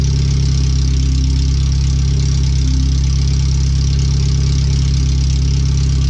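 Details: First startup after replacing the header, fuel filter and differential bushings and seals, with O2 sensors moved and no exhaust fitted past the header; the computer read 5-7% rich. A very loud, deep, steady idle with a fast even thrum and no muffling; open header, far too loud.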